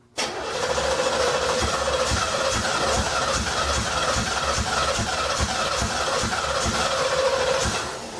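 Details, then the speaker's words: 1987 Firebird Trans Am on its first start attempt while being run on brake cleaner during injector cleaning, after a sticking starter was freed: steady cranking with even compression pulses for eight seconds, but no start. "so close yet so far okay we're gonna give it a little bump with some cleaner it seems like it wants to start so I'm gonna give it a little extra"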